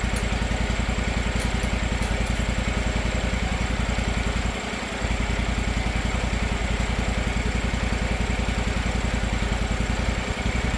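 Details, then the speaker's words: Gravely 260Z mower (about 2006) with a Kawasaki FD750D engine, after carburetor replacement and the loose idle screw turned down and locked, not fully warm: an even, steady pulsing idle with no surging. Normal idle. "Burn like a kitten. No surging at all. Of course, not totally warmed up yet, but sounds pretty good. Sounds great."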